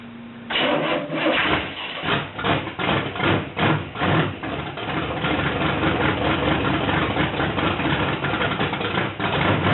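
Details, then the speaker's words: Mercury Comet drag car V8 started after 29 years sitting in a garage, carb needing a rebuild kit: fires after a few cranks, pulsing throttle blips, then settles into a steady, even idle; normal start and idle. "Woke up! That sounds nice, man. Man, yeah, man. Yeah, does that sound nice?"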